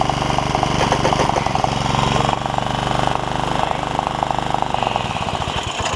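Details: Honda HR194 push mower after ignition coil replacement and freeing throttle linkages: single-cylinder chugging at steady mid-throttle beat, even firing, no misses; normal running.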